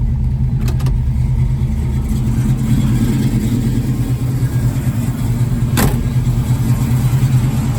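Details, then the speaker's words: 1966 Ford Mustang 289 V8, Edelbrock 600 carb and Performer intake, lumpy cam, full-length headers, cold start after three weeks sitting, choke on, foot on gas: lumpy, wavering idle, shaking, low vacuum (~7); later found one 302 connecting rod, 1/16" short. "Shaking a little bit, doesn't run very steady. It'll idle fine when it's warmed up, but I still got my foot on the gas keeping it going."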